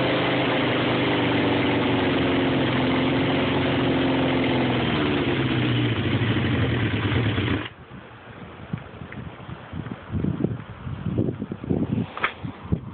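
Engine idles with a slightly uneven, wavering beat for several seconds before cutting out; runs rough at idle, cause unclear.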